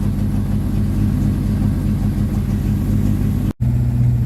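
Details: 1954 Ford Popular 103E old sidevalve engine just started first turn with choke on: steady, even low idle, smooth beat, no knocks or misses; normal healthy idle before lights-on coil voltage test, battery charging.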